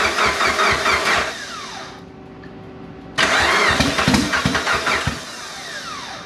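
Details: After almost 10 years sitting and two years of work, starter cranks, engine catches, stalls briefly, restarts and settles into a rough but steady run, blow-off valve missing and openings covered; engine starts and runs.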